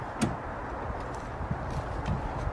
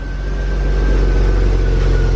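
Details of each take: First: BMW E36 328i with crushed 3-inch exhaust and no catalytic converters, before stock exhaust install: short crank then loud, deep, rough drone swelling with revs; loud exhaust from crushed pipe and missing cats. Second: BMW E36 328i at idle right after fitting a full stock exhaust replacing a crushed catless one: smooth, very quiet, even hum; a faint unidentified whine heard from the engine bay; no exhaust problem.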